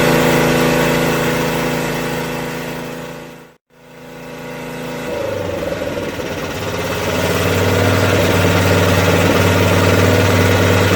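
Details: Craftsman rear-engine tractor, 13 hp Tecumseh OHV single-cylinder, after valve repair and governor spring adjusted to set rpm: briefly cuts out, then settles into an even steady beat without hunting or surging; running normally, seems fixed.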